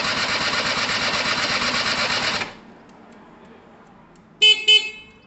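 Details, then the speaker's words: Gilera DNA 125 two-stroke: starter whirs with a quick, even pulse for a couple of seconds, then stops without firing. There is fuel and power and the oil pump works; spark is still to be checked. Cranking, no start; cause unconfirmed. "okay so it's not quite ready guys it's not quite ready what we haven't checked for is sparks so um in a minute i'll pop the plug and we'll check for spark"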